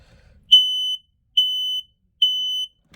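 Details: Ionization smoke detector by a fire extinguisher, during routine testing of ageing alarms. Three loud, even, high-pitched beeps, each about half a second with short gaps: a standard test pattern with no clear sign of a fault.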